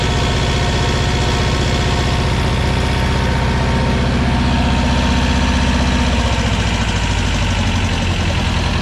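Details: 1985 USSR-built Belarus 250AS diesel tractor, sat unused about 8–10 years, after fuel-system and injection-pump timing work: deep, steady diesel clatter at even idle, firing smooth and regular with no stumbling; normal running.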